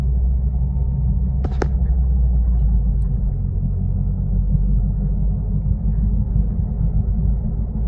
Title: How to find Bad wheel bearing noise inside the car. #wheelbearing #toyotacorollaaltis.